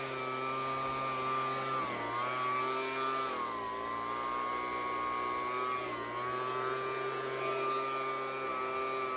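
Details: Two-stroke engine test run after main jet work: a steady buzzing tone with a couple of small dips in speed, then it settles back, running clean and strong. Normal running.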